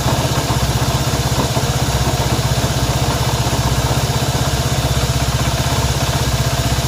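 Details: Honda CB190R single-cylinder engine at steady idle: regular tapping about four times a second over the low thrum; strange engine noise, cause not yet found.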